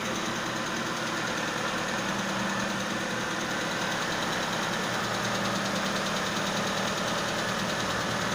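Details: Constant airy hiss over a steady idle, like air drawn in past the MAF; vacuum leak at the MAF suspected, not confirmed.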